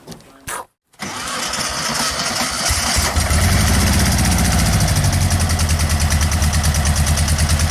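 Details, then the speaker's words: Air-cooled VW: cranks, catches, then runs heavy and lumpy, whole car shaking; only two cylinders firing, one side dead, unburnt fuel smell; clutch possibly misadjusted. "You hear the 2 cylinders. Whole car's shaking because both cylinders on one side are running."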